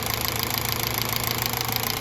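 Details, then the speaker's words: Smooth, even, settled idle with no stumbles from a 200,000-mile Toyota Altis running on CNG, after cleaning dirty gas injectors that had caused engine shaking; leak check passed. "เรียบร้อยไม่มีรั่วครับเสียงเครื่องยนต์นิ่มมากนะลูกค้าบอกรถก็นิ่มเลยแจ๋วเลย"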